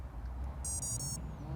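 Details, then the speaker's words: Brushless Nerf blaster motor ESC powered from bench power supply: single short high startup beep then silence, meaning the ESC has power but no signal from the servo controller or Arduino. "Okay, that means that the ESC has power, but it doesn't have a signal from the servo controller or the Arduino."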